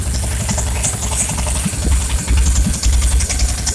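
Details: Old Chevy 350 small-block V8 running on the ground out of the vehicle, tested before install in a Chevy truck, with open exhaust manifolds. A deep, lumpy rumble with a steady idle and no knock or miss; runs good.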